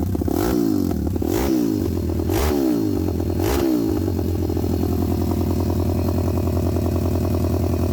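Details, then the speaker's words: WPB Beast 190 Welsh pit bike, Zongshen 190cc 5-speed, after fitting a new Nibbi 28mm carb with air and fuel screws roughly set, run outside; four sharp throttle blips then a steady, even idle, crisp and snappy; not yet ridden; normal engine running and revving. "It sounds ferocious and snappy, but I can't make any judgments right now on what adjustments need doing until it's been ridden really."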